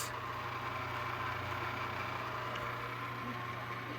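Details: Electric fan motor at high speed: steady hum with a dry rough hiss over it; owner suspects dry, unoiled bearings rather than failed ones, since spin-down is good; could worsen and lock up if left.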